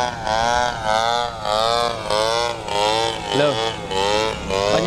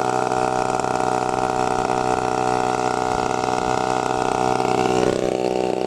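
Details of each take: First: TU 26 two-stroke engine in a converted RC trainer plane (186 cm span) in flight on maiden flight, before landing: high buzz surging and dropping about once a second, stumbling unevenly; sputtering, owner suspects fuel, not confirmed. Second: TU 26 two-stroke engine on a converted RC trainer plane (186 cm span), just started, warming up before maiden flight: steady high buzz with a slight pitch step midway, running evenly; normal warm-up idle.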